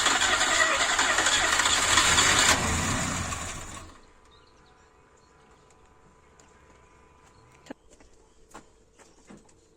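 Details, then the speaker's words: Ford Escort Mk2 barn find, unused for 27 years, cranking: about four seconds of quick, even cranking with no labored compression strokes, plus blow-by from the dipstick hole; low compression, possibly stuck rings or past overheating. "one thing I can tell you straight away is definitely hasn't got much compression I can hear that when it's turning over there's not a whole lot there"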